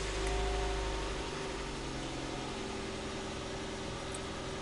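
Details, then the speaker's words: Ford Duratec 16V petrol engine started for about half a minute after a home oil and filter change, with the battery refitted after a winter on the charger: brief start flare, then a steady, even idle hum with no knocks or ticks. The oil warning lamp briefly lighting is normal. "Teď si motor nastartujeme a necháme přibližně půl minuty běžet, aby se nám olej dostal"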